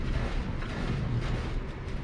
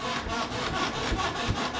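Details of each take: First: 2012 Polaris RZR 4 800 suspension flexing on a jack after greasing joints and WD-40 on non-greasable ones: only a dull low rumble and soft thumps, no squeak. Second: 2012 Polaris RZR 4 800 before lubrication, rear has sway bar and was greased previously; rhythmic raspy squeak about four times a second as the rear is bounced, rear much squeakier than the mildly squeaky front; dry suspension pivots squeaking.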